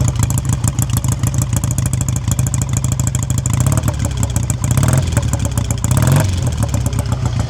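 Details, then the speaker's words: 1959 BSA A7 Shooting Star 500cc twin, just kicked into life from cold on choke, heard by the exhaust: steady, even beat at a slightly fast idle with a couple of small blips, running cleanly. "Take a little bit of warming up before we want to rev. Revix is cold, but you can have a little listen by the exhaust."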